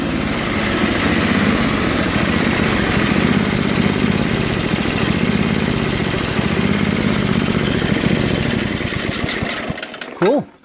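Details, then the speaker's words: Craftsman Trac-Drive snowblower, Tecumseh Snow King 5.5 hp 195 cc, after carb cleaning and idle screw adjustment at high and low throttle: steady, even idle with no hunting or surging until shut off; surging fixed. "you know what I'm not gonna mess with something that's fine right so if it ever does something bad again I'll fix it but for now everything seems perfect"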